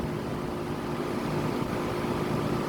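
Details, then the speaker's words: 2000 Tempstar central air conditioner outdoor unit with scroll compressor, after startup; steady even hum with smooth low drone, no knocking, rattling or squeal. Normal running. "Listen to that compressor though. It was a good sounding scroll, not gonna lie."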